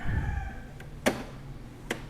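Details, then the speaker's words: Epson L3110 printer with the power, ink and paper lights all blinking together: two sharp knocks as the print carriage hits both end stops on power-up. The carriage sensor isn't working, suspected to be a broken flex cable or a faulty sensor. "seperti itu ya dia ke sininya menabrak ke sana juga menabrak e berarti sensornya itu tidak berfungsi"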